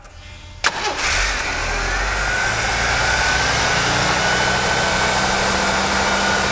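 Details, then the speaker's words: Jeep fresh port fuel injection install, first cold start before idle setting: cranks, catches at once and holds a fast, steady raised idle; high cold idle is normal until warmed up. "okay Charlie okay did you notice noticed when it was first started up it idle up quite high this is very normal until they get warmed up they're going to run at a higher idle"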